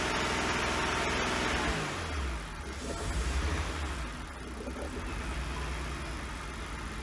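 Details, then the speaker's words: 1999 BMW 328i after new fuel pump, battery and air intake hose: revs under throttle then sags into uneven stumbling idle that wants to die, needs gas to keep running; owner suspects a missing cylinder or bad fuel. "it'll start it up it'll run it won't idle uh i got to keep the keep giving it the gas to keep it running so we either got a cylinder missing or we still got a bunch of bad fuel in there"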